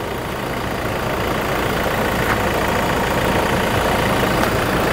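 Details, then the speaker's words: 2019 Toyota Fortuner 2.4 VRZ diesel automatic, 38,000 km, regularly serviced; steady, even diesel clatter at idle with no knocks or misses, engine quiet and normal. "Suara mesin di sini tidak berisik. Kedengarannya masih normal. Masih bagus. Cukup bagus."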